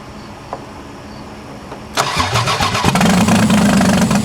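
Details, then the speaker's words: 4WD Daytona whose engine took water after a tornado, 4 of 6 fuel injectors rusted shut: cranks, catches and settles into an uneven, lumpy stumbling idle, now running on three cylinders instead of two; misfire from seized injectors. "see that was different because that it ran on three cylinders instead of two huh okay maybe I'm just getting all the nasty [ __ ] gas out of it"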